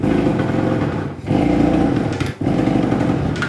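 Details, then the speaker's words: Kawasaki engine that had been seized, being kicked with the gas turned off and full throttle in case of flooding, while fuel leaked into a puddle: buzzy bursts of firing about a second long that die out; it won't keep running, and plugged exhaust pipes are suspected. "honestly sounds like maybe the exhaust pipes back through here plugged up and stuff like it it's like it wants to start but it's just not getting any out there"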